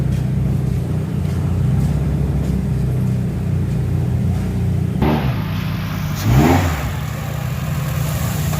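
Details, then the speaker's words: Honda City ZX with jerky gear engagement, tested at idle with headlights and loads on: idle drops and changes note as gear goes in, with a brief rough surge; rpm sags and engine stumbles under load. "ก็คือก็จะมีการตัดครับเวลาเข้าเกียร์รอบตกแบบกระดิ่งเห็นเลยอ่ะ"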